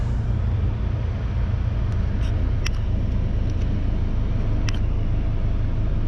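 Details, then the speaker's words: 1994 Honda Accord that had been stalling, after a throttle body cleaning that left it with surge idle; low, even rumble steady throughout with AC on, no hunting or surging; normal idle with AC on. "Wow. That is really good. Love it."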